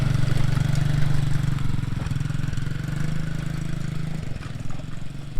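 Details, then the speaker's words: TaoTao Coolster 110cc youth ATV with a 20mm carb, which previously bogged and stalled on throttle: after the fix, with the engine not yet warm, it starts right up and putters at a steady idle, rising into mid-range. "You know, it doesn't sound bad. It started right up and it definitely idled and went into the mid-range here."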